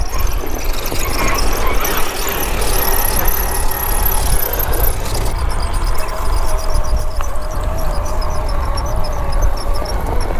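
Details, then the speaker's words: MJX H8H+ 1/8 scale RC crawler climbing steep terrain: a thin high squeal over the motor whine from the drivetrain; something dry in the diff or drivetrain suspected, unsure if it did this before. "tidak yakin apakah kalian bisa dengar itu mengeluarkan suara melengking yang mengerikan tidak yakin apakah ada sesuatu yang kering di diff atau di drivetrain di suatu tempat"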